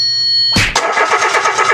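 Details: Mitsubishi Mirage that suddenly died while driving: starter spins the engine with an even whirring chug of about four beats a second but it never fires; crank no-start from a failed fuel pump, which was replaced.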